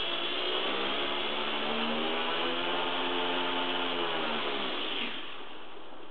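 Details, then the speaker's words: WLtoys V949 small quadcopter held down and spun up for laser prop balancing: high buzzing whine with a fast rough flutter, then winding down; laser dot jumps around, propeller out of balance. "you can see lasers is leaping around all over the place so it's definitely out of balance"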